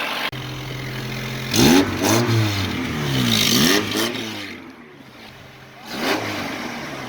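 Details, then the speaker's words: Red Honda Civic EK after an exhaust repair: the engine blips through several revs with a raspy, chuffing edge on the throttle, sounding more tractor-like; an exhaust leak is still present. "mais je trouve que de même, là, en ce moment, je l'entends, là. Il y a une fuite encore, là."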